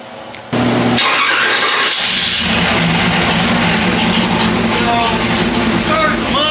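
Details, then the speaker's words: 406 cubic-inch small block Chevy with ported Jegs aluminum heads on pump gas, on the dyno after carburetor jets dropped about three sizes front and rear: loud, even, steady V8 rumble, starting and running much cleaner; normal running. "Um, whether it makes more horse, but it surely does sound better."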